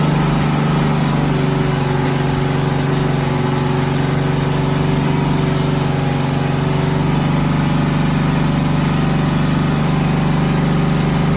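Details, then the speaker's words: 1972 Volkswagen Westfalia bus, not run for two to three months, with CB Performance Solex carbs: engine holds a steady fast buzz far above normal idle and won't come down. An internal mechanism linked to the choke is holding the throttle open. "so as you can hear we've got a lot of problems with revving so these are cb performance uh solex carbs and what's going on is that there's an internal mechanism connected to the choke"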